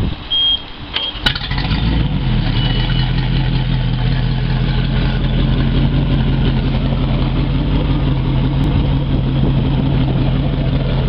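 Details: Larson boat engine after impeller, oil and lower-unit fluid changes, in neutral: catches after a short crank and settles into a steady, even low idle burble with no misses or knocks; runs healthy.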